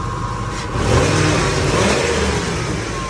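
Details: 1998 Ford Expedition 5.4 with rebuilt engine, after reseating a mass airflow sensor housing grommet that leaked air and caused a rough idle: the engine picks up smoothly and holds an even steady roar, no stumble or miss. Normal rev.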